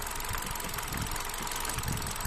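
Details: Hyundai Accent with a Kappa engine: the idle runs unevenly, with irregular low thumps and dropped beats breaking the rhythm. This is a misfire at idle, cause not yet pinned down.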